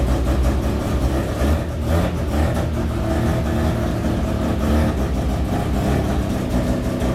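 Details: Freshly built rotary Miata after first start: smooth rotary buzz revving cleanly and settling to steady idle, no stumble or knock; running good, under 150 degrees, about 78 psi oil pressure, good vacuum.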